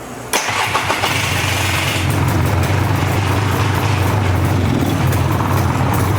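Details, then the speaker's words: Polaris Explorer 400 two-stroke ATV, revived after sitting, started on straight gas using oil injection, in neutral on choke: uneven, fluttering idle with an unsteady beat; owner thinks the air screw may need turning out, not sure yet. "Might have to turn out on the air a little bit. Not sure yet. Sounds kind of fluttery."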